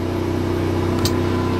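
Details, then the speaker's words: RV generator started from the interior control panel (primed at stop, then start held); it kicks on and the lights flash, giving an even low hum with one brief bump, running smoothly under light load. Normal running. "to start the generator I push and I hold the start button you can hear the generator kick on you can see the lights kind of flash"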